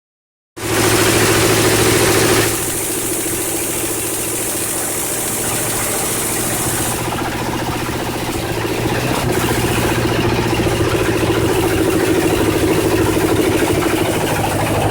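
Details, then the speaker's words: 1963 Ford 390 Police Interceptor (10.5:1 compression) on its first start after a rebuild, smoking, with the choke nearly fully on: a lumpy idle barely staying lit from a badly adjusted Autolite carburetor. Timing is close but needs tuning. "uh she fired up uh carburation is absolutely terrible um I can barely keep it running that was with a choke on damn near all the way"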